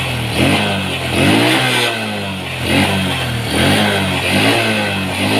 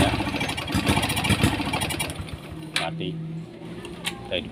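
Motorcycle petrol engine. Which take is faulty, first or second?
second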